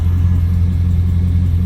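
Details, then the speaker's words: 2002 Chevrolet Silverado V8, misfiring and sitting eight months on old gas, idles with a deep, even rumble and no stumbles after injectors were cleaned; owner thinks dirty injectors caused the misfire. "It actually sounds like a V8. So hopefully I don't this part anymore. Maybe it was just dirty injectors."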